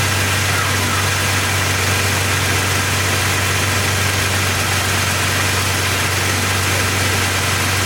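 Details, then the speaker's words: 2002 Jeep Grand Cherokee Laredo 4.0L after crankshaft position sensor replacement for intermittent stalling and no-start: starts right up into a steady, even idle with a smooth low hum, no misses or surging; normal. "okay started right up gmp tkp all right"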